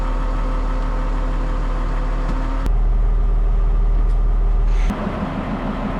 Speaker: Well, guys, she spins up, doesn't grind anymore.